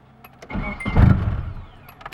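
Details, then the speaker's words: Nissan 240SX with automatic ECU, started after months of repairs: short burst of cranking swells and fades without catching, start needed several tries; owner suspects a failing battery, untested. "took a couple tries but it's on i have a feeling my battery might be going bad but i gotta test it"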